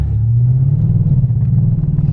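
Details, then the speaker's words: Audi S5 floored at full throttle during auction test drive; deep heavy drone never climbing in pitch, engine bogs and feels low on power; check engine light came on, cause unknown. "See? Even this one is bogging down, like I'm flooring it right now."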